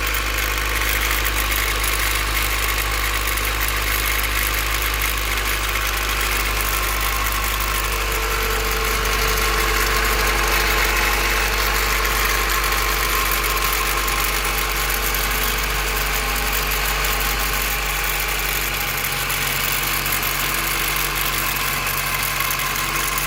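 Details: Cold start: petrol engine idling with a light, fast metallic rattle. Owner believed it came from the distributor, but the rattle persisted after replacing it; lash adjusters checked OK and valve lash set OK.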